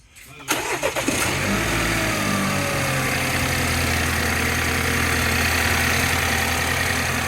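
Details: 2016 BMW X1 xDrive28i turbo 2.0 inline-four, after turbocharger replacement for limp mode and codes cleared; quick crank, catches in about half a second, smooth even idle, no knocks or whistles; normal start and idle.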